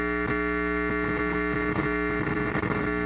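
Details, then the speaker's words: Farfisa O.R. 200 amp: a steady low hum with a buzzy edge and no rhythm, which goes away when the reverb is turned fully off; the reverb tank is suspected but not investigated. Amplifier hum and buzz. "back to the point in my my rebirth tank on this amplifier is the noise"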